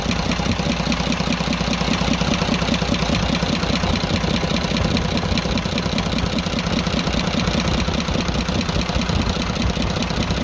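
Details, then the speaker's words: 24-valve Cummins 340 heavy-duty truck diesel idling with tappet cover off after sudden noise, smoke and power loss; fast light ticking over steady idle, loudest at cylinder one; excessive tappet clearance at the rockers suspected. "यहां पर आप गौर करें एक number की तरफ से ज्यादा आवाज सुनाई दे रही है"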